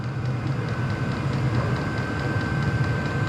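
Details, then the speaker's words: Diesel heater on level 10 (high), amps rising: steady low roar with a constant high blower whine, no surging; running normally at full output, pumping more fuel and air. "Now it's running full wide open, it sounds like. Amps are going up. It's pumping more fuel and it's moving more air."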